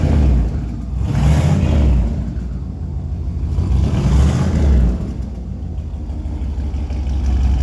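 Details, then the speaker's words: Vehicle "Rocky" with stock turbo, first start after new TTA Performance 2.5" straight-pipe exhaust (no mufflers, no cat): low rappy burble swelling and settling with light revs, fairly quiet as the turbo absorbs sound, running rich on choke; normal running. "As you can see, it's not very loud for not having any mufflers, any catalytic converter on it. It's all pipe. With a stock turbo, it's actually pretty quiet, mainly because the turbo is taking all the sound out of it."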